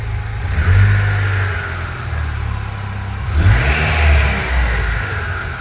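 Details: 1997 BMW E36 318ti (M44B19) idles with an uneven, swelling and dipping lumpy beat. Injectors, intake boot, air filter, coils, plugs, motor mounts, exhaust, cam and crank sensors and vacuum hoses were replaced; throttle body, MAF and ICV cleaned; DISA repaired; no vacuum leaks found. Rough idle, cause unknown.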